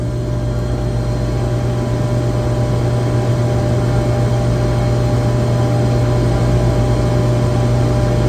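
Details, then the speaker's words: Screw compressor on an AWS chiller checked with a vibration analyzer after a low discharge superheat alarm traced to sensors out of calibration: a steady, even low hum without knocks, rattles or grinding; vibration barely registers, well balanced, normal running. "this compressor which everyone knows the compressor should be well balanced but man it is barely barely even [Music] registering"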